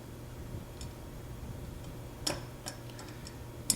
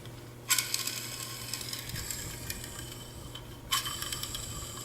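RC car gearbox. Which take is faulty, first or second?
first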